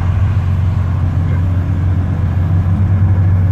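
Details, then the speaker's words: Nissan 300ZX Z32 Fairlady slick top on its first test drive after centre-bearing repair and a new custom exhaust, cruising at 100 km/h on a 35° day with temperature holding: deep, steady rumble with no puffing or ticking. The raspy exhaust leak is gone. "Certainly the raspiness, the exhaust leak sound is gone. It's good, so we definitely fix that bit."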